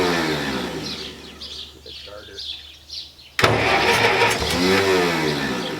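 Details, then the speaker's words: Massey Ferguson 65 tractor after carburetor cleaning: slow, uneven, labored cranking for about three seconds before catching; the starter is not working right. "sounds a little more lively the starters not working right"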